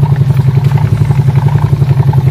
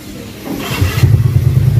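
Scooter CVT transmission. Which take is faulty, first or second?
first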